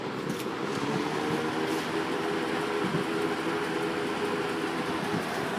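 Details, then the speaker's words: 1988 Lakewood 20" box fan model 223/M with McMillan motor, bent and rusty but runs, before restoration: steady, even whoosh of air with faint constant motor hum, no ticks, rubs or wobble; running healthy on high. "Run's really good K it that's medium and lastly we'll kick it up the house"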